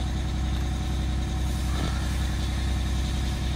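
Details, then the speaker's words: 1989 Grand Villa two-stroke Detroit diesel idling after first start, building air: steady, fast, even drone with a regular pulse and no misses; normal idle, not loud inside. "that thing sounds good I think it's really not that loud in here with it running up fire"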